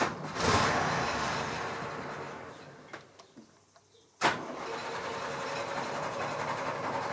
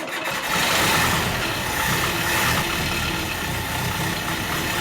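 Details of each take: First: Series 3 Land Rover after swapping in an original rebuilt Zenith carburettor, hand primed: fires, fades and stumbles out, restarts, then holds a smooth steady idle; runs well, though throttle linkage still poor. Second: Series 3 Land Rover starting on a brand-new cheap knock-off carburettor after tuning, smoking heavily: fires up and idles unevenly, lumpy and wavering beat; rough rich running from a faulty carburettor.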